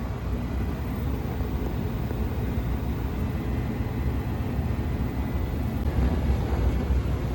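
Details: Old American Standard gas furnace, no-heat emergency call with suspected gas smell and dizzy customer, checked by combustion analysis: burner lit with steady low roar, no surging, popping or rumble; furnace running safely.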